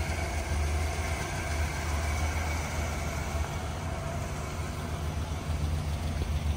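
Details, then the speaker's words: 1979 Chevrolet Impala V8 at idle, heard from inside the car after a new resonator and a quiet factory muffler replaced the loud exhaust. Low, steady rumble with an even beat and no rasp or ticking; a normal, smooth idle. "so now on the inside of the car you don't you don't hear nothing it was so loud before she got a nice little Rumble too"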